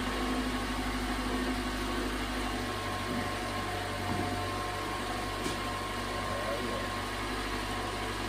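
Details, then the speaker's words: 2011 Toyota Camry 2.5L four-cylinder at its first start after an engine replacement: smooth, even idle hum with a steady low drone and no knocks, ticks or misses. Normal idle. "that sounds good that's always nice when uh starts first try usually there's something wrong"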